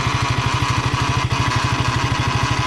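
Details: KTM motorcycle, 25 days old, at idle: fast regular pulsing with a faint rattly edge coming from the engine area, and the sound returns after the throttle is released. Abnormal idle noise, cause not identified.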